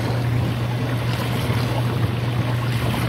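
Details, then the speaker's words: Dishwasher drain pump during the drain cycle, drain line cleared and disconnected with no water coming out: constant low electrical hum with no water movement. Drain pump humming, not draining. "sitting here minute it doesn't drain at all it just hums"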